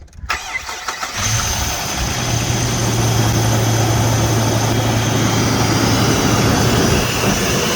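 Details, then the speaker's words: 2004 Jeep Liberty Renegade after repairing a dropped rocker arm from collapsed lifter, first start after battery disconnect: cranks, catches to fast idle with faint steady hiss of a vacuum leak; ticking gone. "I do hear a vacuum leak, something sucking somewhere."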